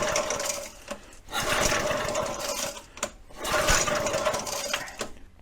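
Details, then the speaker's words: Early-1970s flathead Briggs engine on a vintage gas SCUBA compressor, fuel in the cylinder, good spark: pull-cord cranking bursts about every two seconds with only an odd weak pop; fires intermittently, low compression suspected. "thing's popping off but it's not not consistently firing even with fuel in the uh in this cylinder you would think it should pop pop pop pop burn off the fuel and it's not it's just giving us the occasional fire"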